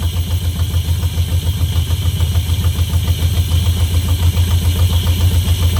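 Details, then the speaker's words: Barn-find 1971 Camaro Z/28 V8, just started after long storage with a little throttle: low idle pulsing about three times a second with a slight uneven lope and surge; still not running perfectly; later carb kit and timing adjusted. "That's still not running perfect, but at least it runs."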